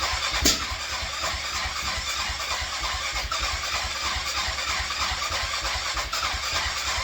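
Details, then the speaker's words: Grizzly 660 ATV after carb cleaning and clearing a clogged idle jet, has spark, no airbox, battery dying, slight fuel leak: steady cranking with no catch and one sharp backfire bang; crank no start with backfire. Owner suspects slight flooding. "you see what I mean by a backfire is really bad I'm really not sure why that is"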